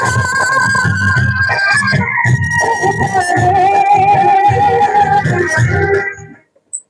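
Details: Stranger 701 W amplifier, previously weak and distorted, after 1 megohm resistor replaced: music plays clean and full at high volume with no crackle, buzz or distortion; output now clear.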